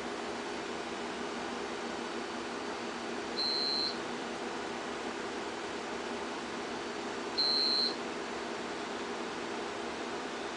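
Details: Homebuilt generator transfer switch test with mains breaker switched off: UPS gives a short high beep about every four seconds over steady fan hum, running on battery after mains loss.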